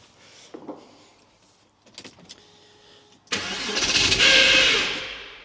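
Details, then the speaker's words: Early 2.5 Porsche Boxster 986 after air-oil separator replacement: quiet, then engine catches suddenly with a harsh, hissy roar that swells and fades unevenly; rough struggling start, owner suspects PCV system still leaking. "Okay, so that wasn't good. Hey, it started. A pretty huge part of me thinks the PCV system on this is still leaking."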